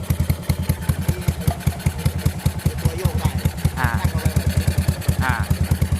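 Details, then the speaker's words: Yamaha SR400 single-cylinder motorcycle idling, owner complains engine is loud: thumping beat with dry metallic clatter from the valve rocker arms, valve found with side-to-side play — rocker arm clatter. "ตัวโยกได้นะครับที่มันมีเสียงดังอ่ะ"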